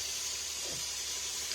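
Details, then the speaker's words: Livpure water purifier after replacing the UV lamp to fix a beeping fault: steady soft water hiss, beeping gone, lamp lit; normal running after repair. "तो आवाज बंद हो गई बेहतरीन और यह पूरा काम कर रहा"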